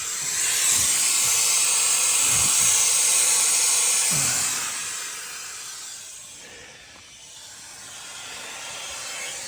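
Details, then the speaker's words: Minneapolis Moline tractor at 25°F on a winter morning: loud, sharp steam hiss jetting for several seconds then tapering off as a hose blows while another tractor is being started; likely burst radiator hose venting coolant. "I heard a noise. I was starting a different tractor, and I heard a noise. I'm pretty sure a hose just blew."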